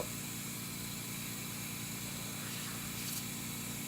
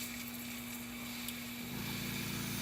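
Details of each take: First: Whisper airbrush compressor feeding a Badger Model 200 airbrush spraying at 15 psi: steady motor hum with a low buzzing pulse under constant hiss; it runs continuously venting through the blow-off valve because auto-shutoff is set at 60 psi; normal. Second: Whisper airbrush air compressor after holding 60 psi with the dial turned: steady hiss of air venting, then the motor kicks in with a deeper hum; blow-off valve dumps excess air and pressure drops to almost 0 psi.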